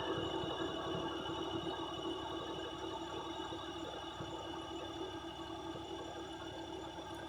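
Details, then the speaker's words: Non-CDL box truck with air brakes, pre-trip test: even engine drone with steady hum and quiet regular chugging as the compressor builds toward 120 PSI, secondary tank filling quicker than primary; normal pressure build. "She's getting there. My secondary is a little quicker because it has less work to do."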